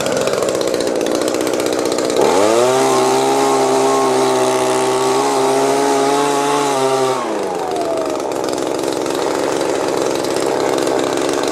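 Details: Old Echo blower after a carburetor hang-up that kept it stuck at high RPM was fixed: the buzzy idle climbs smoothly to a steady high whine, holds about five seconds, then drops cleanly back. Throttle response is healthy.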